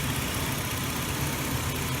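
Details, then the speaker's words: 2001 Ford Explorer that had sat for a while, with dark oil due for a change: an even, steady low rumble at idle with no ticking or rattle. No timing chain noise even when revved; it runs well. "But you can hear, I mean, it runs pretty well. No weird noises, nothing like that."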